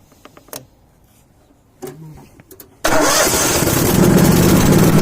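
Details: Kohler Command twin-cylinder engine on a Miller Bobcat welder, previously cranking without starting because of the carburetor's electromagnetic fuel solenoid; after the solenoid clicks, a few light clicks and a short crank, then it catches and runs steady and strong.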